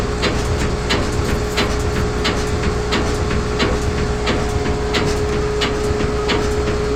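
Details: GE front load washer in spin with medium or large load: steady motor hum with sharp thumps about 1.5 per second as something inside hits the cabinet; tub knocking against cabinet, cause unknown to owner.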